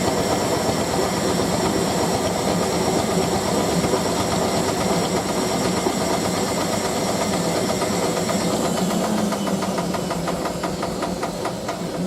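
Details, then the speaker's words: Hotpoint 9530W Electronic 1000 Plus washer on final spin with bed throw load; loud uneven thumping rumble as drum slams, cabinet flexes and machine walks across floor; washer banging and walking during spin, worse than previous spin. "See the whole way the cabin is flexing right now. That sounds horrible."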